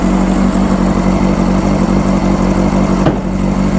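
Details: 1995 Honda CBR600F inline four, running after sitting a very long time, with WD40 added: a fast, even warm-up idle, a steady mid-pitch burble with no misses or knocks; runs nice and quiet, healthy.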